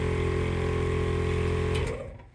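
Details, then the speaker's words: On-board air compressor in the toolbox of an off-road Ford F-150, first test: steady even motor hum with low drone and faint box vibration rattle, cutting off cleanly after under two seconds; pretty quiet, making air; normal running. "And it's pretty quiet really too. You can hear the box kind of, vibrating a bit, but actually pretty quiet."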